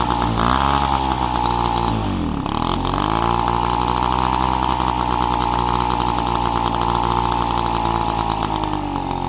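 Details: Peugeot 103 RCX moped two-stroke, first start after engine reassembly and carb cleaning: steady high buzz holding an even fast idle after one quick dip and recovery; healthy and smooth.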